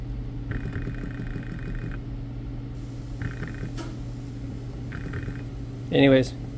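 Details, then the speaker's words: BMW E60 electric water pump bench tested dry on 12 V (pins 1 and 3 positive, 4 ground): short whirring bursts cutting out every second or so, never spinning up; pump motor failing, pump shot. "well having trouble getting it it'll ramp up sometimes there we go so not sound in the greatest definitely an issue with the pump yeah it's dry but it's shot anyway"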